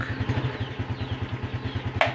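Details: Honda Supra X 125 FI, idling: steady popping single-cylinder idle then one sharp loud metallic clunk as gear engages, only sometimes.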